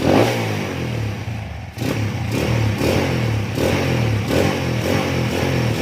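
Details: Honda CB/GL/MP/Tiger single-cylinder motorcycle after changing ignition timing to 17.5 degrees to fix kick-starter kickback: crisp throttle blips climbing and falling cleanly, even exhaust note, no misses or backfire; normal revving.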